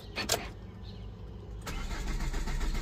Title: Chevrolet Captiva Engine crank but won't start no trouble code Solved